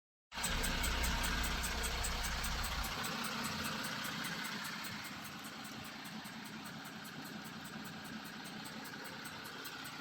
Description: Audi Vag 3.0 tdi (q7 4m) 2016 ticking noise at idle and noise speeds up when revving or driving.